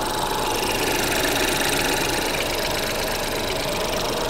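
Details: Small three-cylinder car with 10,000 miles at a salvage auction: steady idle under hiss, even low beat, no knock; vibration low and quiet, running healthy.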